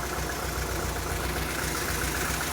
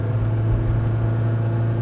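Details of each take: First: 1986 Saab 900 8-valve K-Jet, sat three weeks, after repair work: low idle with slightly uneven, lumpy, wavering beat; idle oddly lower than before; cause later found to be a plugged injector starving one cylinder. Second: 1986 Saab 900 8-valve K-Jet after fixing a plugged injector, rolling start in second gear: strong steady low rumble pulling smoothly, immediate power delivery, no stumble or hesitation; fixed.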